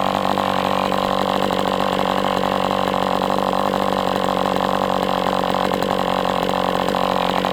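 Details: MDS 68 FS Pro four-stroke glow engine on break-in stand, after carb retuning (idle screw had been tampered with), idle bar plug removed; high steady buzzing whine, no sag or surge, running rich with much smoke; normal running.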